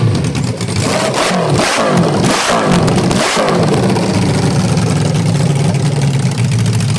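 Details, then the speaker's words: Honda CB550 engine in a go-kart, burning way too rich with gas smoke; three quick throttle blips then a lumpy, wavering low idle that won't settle. Owner suspects carburetor float level or jet size; not confirmed. "see all that smoke and it's it's gas it's not all it's way too rich so i need to figure out why it's doing that"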